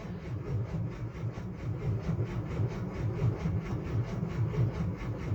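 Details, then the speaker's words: 1964 Austin Healey 3000 Mk 3, cold start after sitting many weeks: heavy, labored cranking at three or four lumpy compression beats a second, starter dragging far too slowly; suspected low battery. "I said move again there I just felt a car shutter [Music] there we go it's not turning very quickly"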